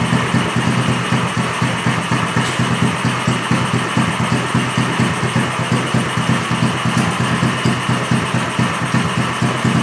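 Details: Small engine running on straight Seafoam: an uneven, chugging beat of about two pulses a second that stumbles near dying; the plug comes out drenched in Seafoam and is barely firing.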